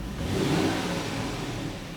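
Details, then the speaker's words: 2007 Supercharged Range Rover L322 after throttle body cleaning to cure surging on return to idle: throttle blip then engine drops cleanly back to steady idle, no hunting or surging; fixed. "Gotta wait for it to idle down. There we go. Let's give it a rev. It settled right back down. That's a success."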